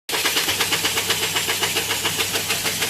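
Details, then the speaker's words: Washing machine: steady, rapid metallic tick-knock about seven a second in time with the drum turning; foreign objects, bra underwire, caught through the drum holes. "not sure about the noise that's making that's not right that's really not right"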